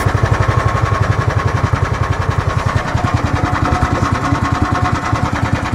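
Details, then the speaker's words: Club Car golf cart after an engine swap, started cold with an ARC cone K&N filter and governor bypassed: the small single thumps evenly at a fast idle settling around 1200 rpm, with no misses or knocks; healthy idle. "Settles around 1200 or so."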